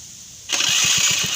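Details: Honda Flash S scooter, stock: starter whirs high and fast, engine turns over in quick pulses about eight a second without catching; hard starting.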